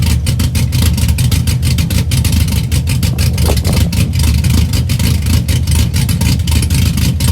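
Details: 2004 Chevy Silverado stock 5.3L LS V8, first cold start after cam and springs swap (218/227 duration, .526/.524 lift, 109/115 LSA), accessories unhooked, weak battery: choppy, loping idle with blips, steady and even under lumpy rhythm; runs healthy.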